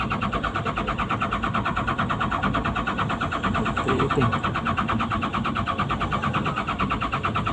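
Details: PC200-8 with a crank/no-start complaint blamed on a defective common-rail pressure sensor (no rail pressure); here a steady diesel chug of about two beats per second, no misses, as the engine fires and settles normally.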